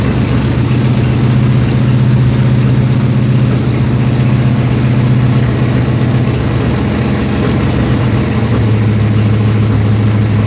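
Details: Dirt track race car V8, hot, after timing adjustment and oil pressure fix attempt: deep steady burble holding an even rhythm for ten seconds without stumbles or misses; healthy settled idle.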